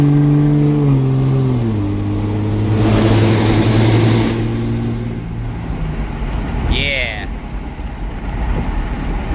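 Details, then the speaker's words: Truck just fitted with a 48RE transmission, driven under load through a tunnel: pulls hard through the gears, then a loud rushing hiss as boost hits about 32 and plummets and the pull fades. Not the wastegate; a boost leak. "that wasn't too bad sorry about the adjustment of camera I got to be able to see but definitely uh have a boost leak somewhere"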